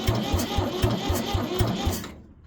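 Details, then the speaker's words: 1973 Ford 4500 industrial diesel backhoe, bought as a non-runner sold for scrap, on its first start attempt: slow cranking at about two compressions a second that never catches and dies away; hard starting, it only starts with ether. "Guess that's why the ether's around. Oh. Alright, it runs."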